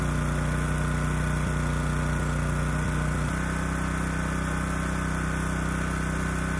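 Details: Honda EG2200X generator, early-to-mid 1990s, no load, after carburetor cleaning with low-speed mixture screw reset to 1.5 turns out: uneven, lumpy idle with an irregular stumble in the low thrum, not running smooth; air cleaner ruled out as a restriction.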